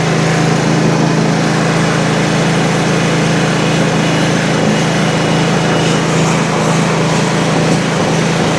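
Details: Country Clipper Challenger 52-inch zero-turn mower that came in locked up and not turning over, low on oil, battery boosted, carb/choke cleaner used; it holds a smooth, steady buzz with no knocking, missing or surging, surprisingly sounding fine.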